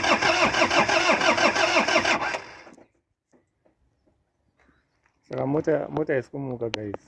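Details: Truck engine after small repairs, computer box suspected: quick steady cranking for about two seconds, then stops without catching; cranks but won't start, cause unconfirmed.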